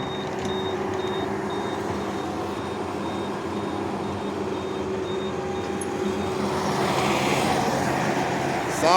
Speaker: that's left you hear that beeping on that skid ster got a battery problem every time it'll cut off and he have to jump it off with a battery